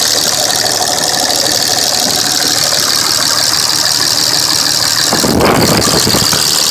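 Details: 2005 Dodge Ram with a Cummins diesel: loud idle with a hard, uneven clatter about three times a second. A cracked injector is leaking fuel into the oil, and the engine is blowing white and black smoke.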